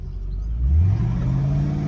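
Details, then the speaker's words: Mercedes E55 AMG with slipping automatic transmission: engine revs climb quickly and hang high without pulling, car not moving; suspected insufficient gearbox oil pressure, not confirmed. "See, let reving are not going anywhere. H, something's not right. That's almost like the gearbox isn't getting enough oil pressure."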